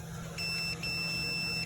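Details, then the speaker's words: Multimeter on ohm continuity setting testing fuses in a 2009 Sundance Maxxus spa with humming jets: two steady high-pitched beeps as leads connect, normal continuity tone. "So I go to the ohm setting, and I like to go to the one that will cause a beep if you touch your two leads together."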